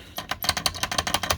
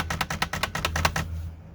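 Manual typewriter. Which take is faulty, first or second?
first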